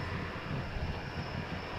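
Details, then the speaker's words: Freshly rebuilt 350 V8 in a truck, first running: steady roar with a constant rough whirring over the idle, owner suspects a top pulley; white smoke with slight blue tint from exhaust. "now it's not coating for anything but uh this pulley right there I think on top is what's making all that noise"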